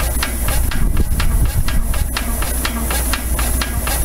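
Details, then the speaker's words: Frick Eclipse portable power unit steam engine used for threshing, running on compressed air: crisp evenly spaced chuffs about four a second over steady hiss; normal running. "lonnie has got it running on air here this was used for the threshing crew and various jobs"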